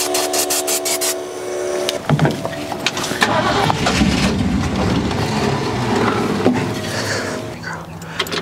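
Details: 1972 Ford F100, unrun over 10 years, after fuel pump and return spring work: steady starter cranking that never fires; owner thinks no fuel reaches the carburetor, possibly accelerator pump or closed float bowls.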